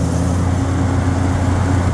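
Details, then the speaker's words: Walk-in freezer rack restarted at night after a fault: condenser fan motor back on, steady low even hum with no rubbing, grinding or ticking; condenser fan motor running normally. "Let's give it a... condenser fan motor runs."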